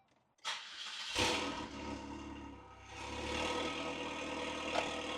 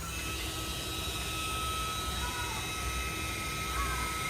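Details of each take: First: 2003 Saab 9-3 with the original factory fuel pump reinstalled, primed, exhaust disconnected, on a very hot day: a quick crank catches at once into a steady, even idle with no misses or stumble. The engine starts and runs properly. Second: 2003 Saab 9-3 Walbro 255 fuel pump with about 200 miles on it, bench-tested with the fuel tank removed: a thin, steady high whine with a wavering edge over a low hum. The pump was confirmed bad.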